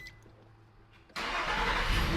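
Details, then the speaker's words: 2010 Nissan Frontier 4.0L V6 jump-started with an Oxilam Y5 portable jump starter: engine catches instantly without struggling and settles to steady even run; healthy quick start. "It wasn't struggling, it just fired right up. And you can tell when an engine fires right up because it'll start really quick."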